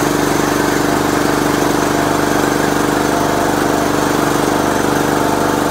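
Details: Riding mower unstarted for many years, started after the bad safety switch was eliminated: fires up and settles into a steady, even run with no knocks; normal running.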